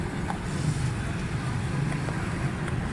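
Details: 2008 Suzuki Bolan/Carry pickup with missing and distributor timing fault, during timing check after carburetor cleaning: steady low idle with faint irregular patter and no clean rhythm; uneven idle.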